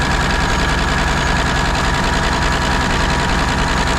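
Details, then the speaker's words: Peterbilt 359 diesel started after sitting 20 years, new fuel filter: loud steady high-speed roar with no throttle change, engine running away; suspected burning oil from the turbo, little blow-by found, air leak heard, cause not confirmed. "it won't cuz it's burning the oil from the turo if that's what it is yeah cuz if you jump straight engine oil into the engine it'll run away it's running on [Applause] something"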